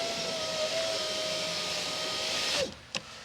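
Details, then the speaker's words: 2001 Chevy Silverado (GMT800) rear window after replacing the wrong regulator and fitting a new Dorman window motor: even, steady motor hum running smoothly to the end of travel, then stopping with a soft thump; window operates normally. "Well, I think we have an operational window there, folks."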